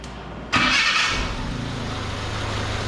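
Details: 1979 Chevy LUV pickup, 1.8L four-cylinder, starting for a treatment down the carburetor: starter catch and quick flare, then steady even idle with no miss; sounds healthy.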